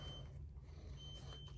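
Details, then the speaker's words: SYKIK SRTP300 tire pressure monitor on a Harley Road Glide, sensor just unscrewed from the valve (about 34.5 psi) with the engine rumbling: a steady, high electronic beep breaks off and returns. This is the lost-pressure warning. "oh as soon as we take it off you can hear it up there beeping so it's saying it just lost pressure"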